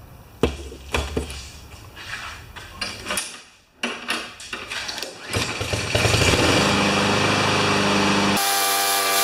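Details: Honda walk-behind mower after a rusty rewind spring was refitted, started before an oil change: a few pulls and knocks, then the engine catches and settles into a steady, even drone with no misfires; normal running.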